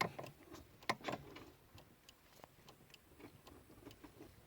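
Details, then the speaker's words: Lada Kalina 2 8-valve with 2181 gearbox, about 190,000 km in nearly 10 years; clutch pedal was stiff and squeaky, now lubricated with oil sprayed on the input shaft: pedal work gives only a light clutch-switch click, no squeaks; quiet clutch pedal operation. "Слышно только, как микрик тут щелкает, этот выключатель сцепления, и все. Прекрасно, никаких скрипов."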